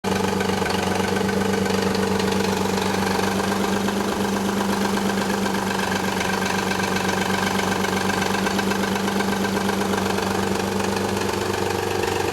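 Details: 1991 Nissan 300ZX at idle: light, fairly even rattle about four per second, goes away after about a minute of driving; timing belt slack from collapsed tensioner, upper and lower idler pulleys also noisy; fixed.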